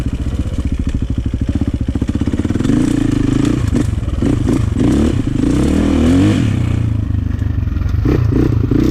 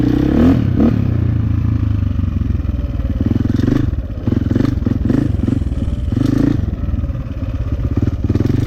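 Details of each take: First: 2004 KTM 450 EXC with Keihin carb, sat 6 years, on a woods test ride. Lumpy idle, then a blubbering hesitation on roll-on before picking up, a rich stumble off idle; fuel screw suspected too rich. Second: 2004 KTM 450 EXC with Keihin carb, sat 6 years, on a test ride after leaning the fuel screw to half a turn out. A crisp single bark picks up cleanly without stumbling or popping, running normally; possibly still slightly rich off the bottom.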